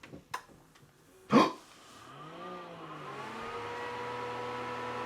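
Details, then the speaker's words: Power Mac G5 that previously exploded at power-on, with two CPUs refitted: clack at power, fans spin up to a steady full-speed roar, no throttling back yet. "Fans are at full speed, which we assumed would happen. At least it sounds like they are."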